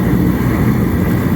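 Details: Master kerosene torpedo heater, previously shutting down with an E1 error, lit: steady, even low roar with no sputter or surging. Normal burner operation.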